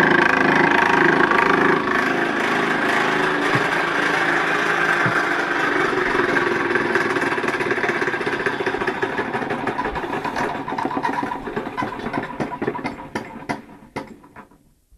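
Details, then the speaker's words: Nipkow disc mechanical televisor, motor belt-driving the disc spindle: a rattling clatter of about three beats a second over the whirr, easing as the motor slows. Caused by an off-centre drive gear cog, to be replaced. "anyway yeah not quite desirable having um that excessive amount of noise um on the set especially if you're going to be especially having audio as well as video so yeah as mentioned I'm gonna replace that wonky gear Cog at some point with a better one"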